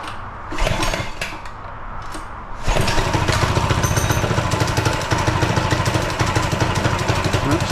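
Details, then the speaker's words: Newly rebuilt minibike with a new GoPowerSports engine, first start on full choke before its first ride: cold, rough running, small single thumping unevenly at about four beats a second until it warms; a little cold-blooded. "a little cold sounds like she's a little cold blooded okay now she's ready to ride"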